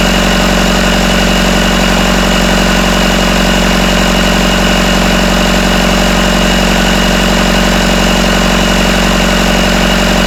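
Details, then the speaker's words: Rebuilt Isuzu 4BD1T diesel in a Hitachi EX120-2 excavator on its first run, after tightening loose rear bolts that were rattling. Steady, even idle at about 1250 rpm with a firm low thrum and no rattle or knock; healthy. "okay let's see if that sounds it's not rattling it's about 1250"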